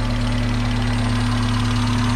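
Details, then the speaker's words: Revived long-abandoned Mazda Miata at idle after startup: light quick ticking over a deep hum, extremely loud at start and quieting down as it runs; top-end ticking, cause not pinned down. "so wherever you start it up then like picking is extremely loud so like it quiets down red drive it really well"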